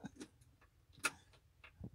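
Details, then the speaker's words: Abandoned old CAT excavator, engine unrun for years, after fuel-system contamination and a replaced solenoid, key on with ignition lights from the cab: only scattered sharp clicks, no cranking; likely wiring problems in the cab, cause unclear. "got absolutely nothing back there it's not cranking uh it's just typical"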